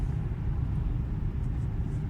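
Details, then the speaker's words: BMW F10/F07 road test after replacing parts for a knock over small bumps: a steady low road rumble over bumps and a crossing with no knocks or clunks from the suspension. "вот всякие стуков нет"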